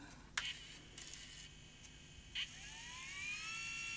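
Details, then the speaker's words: Tascam DA30 MKII DAT recorder after capstan drive belt replacement, running fast forward; soft clicks then a thin whine climbing and holding high, transport sounds strained, suspected problem in reel drive mechanism beyond the belt: abnormal tape transport noise. "doesn't sound happy. So, there may be a problem in here that could be a bit harder to fix."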